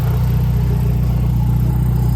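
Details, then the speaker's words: Nissan S13 after fuel system upgrade, first start: steady, smooth idle at about 900 rpm with no blips, misses or ticks; no leaks found. "There's no blips on the idle. It's nice and steady, right about 900."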